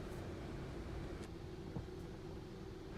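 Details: Hyundai Tucson (push-start) after new starter motor fitted for a no-start fault with immobilizer light: quiet, smooth, even idle with no misses, knocks or whine; no warning lights, running normally.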